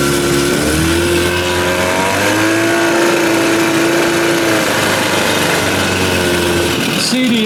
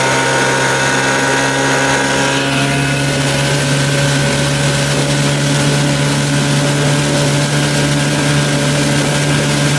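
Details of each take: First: Evinrude 30 hp outboard on its first run after an under-flywheel conversion. Buzzy two-stroke tone wavers and hunts instead of holding even: it doesn't sound right and runs rough; owner thinks it may just need clearing out. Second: Evinrude 30 hp outboard on its first run after an under-flywheel CDI conversion, run near but not at wide open throttle. Loud, steady, smooth high-revving drone with no misses or surges: sounds good, normal high-throttle running.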